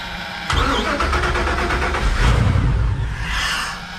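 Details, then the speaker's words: Crusader 8.1 Captain's Choice marine V8 with new long block, running rough and not reaching rpm: lumpy lopsided beat with recurring gap, a full dead cylinder; fuel pressure regulator ruled out, injector issue found. "oh yeah that's running rough it is like a full-on dead hole here"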